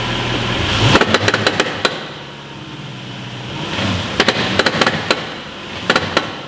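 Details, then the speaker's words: VW Touareg brake-torqued under load to duplicate a hard-acceleration noise: bursts of five or six sharp metallic knocks every couple of seconds over the engine. Knock traced to the transfer case; its low/high stepper motor is questioned. "the noise that we just heard is 100% coming from this transfer case"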